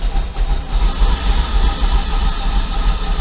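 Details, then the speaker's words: 1994 Corvette project engine, after running Seafoam: deep, lumpy, uneven chugging as if starved for fuel, won't idle, dies when the gas is pressed. It ran smoothly before the Seafoam. Owner suspects the fuel filter and fears the Opti-Spark. "that's how it's running it's it's like it's choking for fuel and this thing was running great before I put the seafoam in it"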